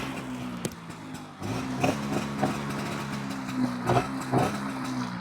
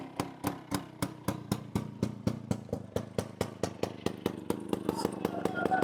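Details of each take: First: 1998 Bajaj Chetak two-stroke scooter after silencer repair at garage: low steady putter with soft even exhaust pulses, no harsh blare, far quieter than before; normal running. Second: 1998 Bajaj Chetak scooter at idle, silencer rusted through and shaking once started: harsh, loud unmuffled popping about four beats a second; loud exhaust from rusted silencer.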